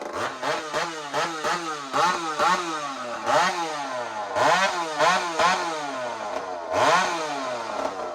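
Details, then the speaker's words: Ported chainsaw ("Tasman saw") running again after repeat work following a broken-bolt failure; two-stroke snaps cleanly to a high scream and falls back repeatedly, no rattle or misfire; owner says it sounds healthy. "So let me show you what Tasman saw sounds like right now. It sounds healthy to me. You tell me what you think."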